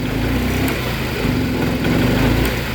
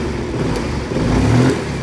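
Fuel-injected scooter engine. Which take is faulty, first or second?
first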